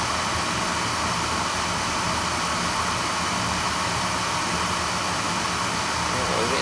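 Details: Oil burner with tankless coil and outside chimney, limits set at 180, fired during annual service to check draft over the fire: even, steady roar with no pulsing, rumbling or sputter; firing cleanly.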